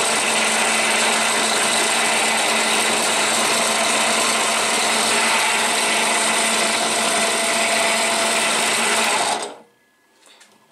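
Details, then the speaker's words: Budget benchtop drill press, Harbor Freight or WEN, not bolted to the table: it runs with a harsh, buzzy whir, slight vibration and rhythmic shudder, and still doesn't sound quite right as it stops. "even when it stops it just doesn't sound quite right"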